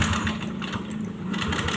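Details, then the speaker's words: Yamaha Aerox scooter that would not start, jumped from another motorcycle battery: engine catches and settles into a busy, steady run with no misfire; normal start after battery jump. "nah nah ini menyala teman-teman ya ini menyala sekarang motornya sudah bisa menyala"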